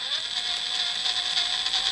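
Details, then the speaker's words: RC crawler (IFS2 front, replaced spur gear) with so much rear droop the rear driveshaft sits at its most extreme angle: light rapid ratcheting ticks over a thin gear whir as the driveshaft binds and clicks; uppers could be clocked back. "if you listen closely there's a little d uh because we have so much droop in the rear that drive shaft is about at the most extreme angle it can be at"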